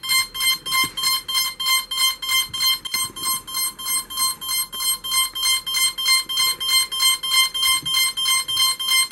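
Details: Cheerson CX-20 quadcopter, battery just inserted while connected by USB: high-pitched beeps repeating nonstop about three per second; flight controller warning, cause unknown, cannot connect to Mission Planner.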